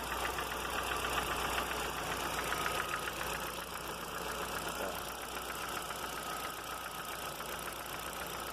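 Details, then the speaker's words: Audi A3 20-valve engine at idle: light, quick ticking about 220 a minute from the top of the engine; owner suspects hydraulic lifters, would replace all 20, and will first measure oil pump pressure. "Esse barulho é aqui na parte de cima, aqui assim. Provavelmente, creio eu que seja o tucho."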